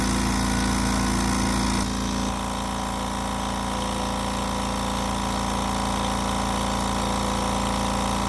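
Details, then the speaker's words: Kobalt Quiet Tech 4.3-gallon air compressor, with the motor start issue suspected to be the capacitor: quiet, steady pumping about three beats a second with constant motor hum, no knocking; builds pressure and cuts off normally. "there I mean you can hear how quiet this thing is I love it"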